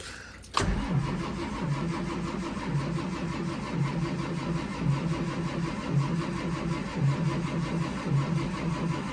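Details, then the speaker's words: School bus diesel with a HEUI pump, cold start attempt at 23 degrees. Slow, even cranking at about one beat a second goes on without catching. Some white smoke is seen, which the owner takes as injection pressure building toward starting. No start yet. "I think we're definitely getting somewhere. I saw it smoking in the mirror out there just a little bit, and that is an indicator that this bus is getting close to starting."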